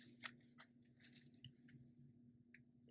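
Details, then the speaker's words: Ryobi drill with a wet diamond core bit drilling a thin-glass 10-gallon aquarium, slow and gentle: a steady low motor hum with scattered gritty crunches as the bit grinds through glass. Normal even cut. "I'm going to go back in here again, get started, go nice and easy. Just keep it nice and cold."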